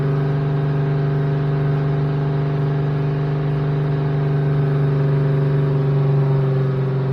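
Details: 1972 Plymouth Roadrunner 383 Magnum V8, restarted after a gasket fix following 15+ months unrun, during cam break-in with break-in additive: steady, even, deep rumble at raised idle, no knocks or misses; normal fast idle.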